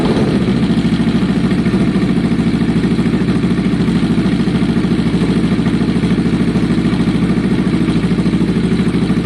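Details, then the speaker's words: Kawasaki ER6n parallel twin project bike, first start after priming on a lowish battery: slightly uneven idle with lumpy exhaust beat, about 200 pulses a minute. Owner suspects old fuel in the lines still flushing out; plans to idle it 10 minutes. "That's the sound. That exhaust sounds interesting. So there would have been some fuel left in the lines. I want the old fuel to flush out on idle, and then the new fuel to take over."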